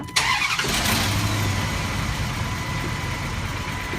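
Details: 2006 Dodge Durango 4.7 L 4WD after Power Control Module replacement: short crank, catches right away and settles into a smooth, steady idle with no stumble; check engine light off, normal start and idle.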